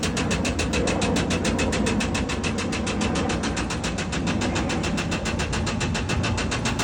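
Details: Mercedes Sprinter diesel running: sharp, even knocks at about 3.5 per second ride over the engine sound and hold steady. There is a clear engine knock; cause undetermined.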